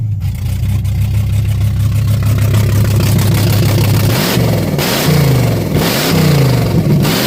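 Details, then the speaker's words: 1987 Pontiac Firebird just started after alternator/starter replacement and wiring fix, idle screws not yet adjusted; low lumpy idle with uneven pulses and revs that sag back, nearly dying. Rough running, needs tuning. "So, it does run really rough right now. But, I had to figure out this problem so I can able to tune this. See, you can hear it's getting ready to die."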